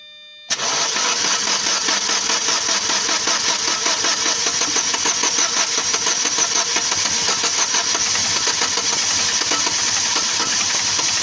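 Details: Chevrolet Lacetti engine knock, cause unknown to owner: engine fires and settles into a fast even tapping over the idle, steady throughout.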